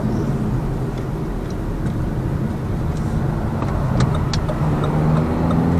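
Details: Lada Vesta Cross with AMT 2.0 robot gearbox, fully loaded, cruising on rough road; head-mounted action camera. Steady road and engine drone, only light tyre thumps, no suspension knocking over bumps; knock gone after shock absorber strut replacement.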